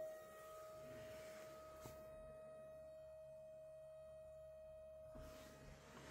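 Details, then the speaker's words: 2011–2012 VW Passat 1.6 TDI CAYC, pump activated through a diagnostic tool during a major service: faint, steady, constant-pitch hum that runs its cycle and then cuts off cleanly. Normal pump operation. "Donc on entend la pompe."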